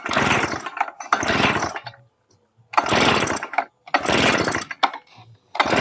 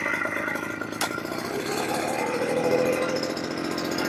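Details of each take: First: Yamamax Pro 3WF-3 14 L two-stroke mist blower on a test run: uneven one-second surges that die away between bursts and never settle, so it runs rough. Owner suspects the carburetor setting is wrong; idle is adjustable with a screwdriver. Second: Yamamax Pro 3WF-3 14L mist blower/duster two-stroke, started at setting 2 on about 30-35:1 mix (25:1 wouldn't start) after carb adjustment; catches quickly, settles into even buzzy run without misses or surging: normal running.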